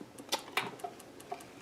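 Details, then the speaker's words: 25" K7500 arcade monitor chassis at switch-on after replacing R104, the HOT and the width transistor: faint, sharp ticks repeating a few times a second instead of startup. The horizontal output transistor shorted again immediately, and the cause needs further troubleshooting. "you can hear it ticking shorted immediately listen so unfortunately something's taken out the hot further troubleshooting is required"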